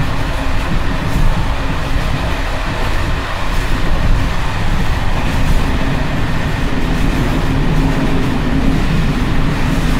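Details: Evening express run on uneven Czech line 190 (České Budějovice–Plzeň), between Hluboká nad Vltavou and Číčenice, in coach Bd264 481 (built 1979), recorded from the compartment or an open window. Heavy rumble with irregular rattling and banging over rail joints as worn Görlitz V bogie brake rigging bounces.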